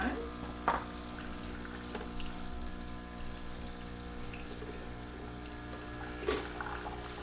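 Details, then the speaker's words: Keurig Rivo R500 cappuccino/latte machine priming on first use, espresso button pressed with mug on drip tray: steady low pump drone, water trickling and small clicks, running evenly; normal pump priming. "I'm going to prime the actual machine so it says to put a mug on the drip tray press the espresso 1 Go button which is this button here we'll let that run"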